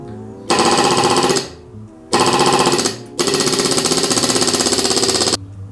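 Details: 1968 Jaguar 420G renewed SU electric fuel pump, bench-tested with thumb over inlet: fast even chattering in roughly one-second bursts with short pauses; pulling suction normally, about two or three psi.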